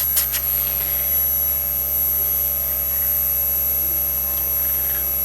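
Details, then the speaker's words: Daikin R32 inverter air conditioner after repair of its L5 fault on the power board (made 17 April 2019): smooth constant low compressor hum with a faint steady whine, no knocking or rattling. Compressor running OK while waiting about 3 minutes to confirm it ramps up speed. "và bây giờ thì Block đã chạy Ok như này rồi thì mình chỉ chờ thêm một tí nữa để xem là cái trong vòng 3 phút nữa xem là cái Block nó có tăng tua tốt hay không"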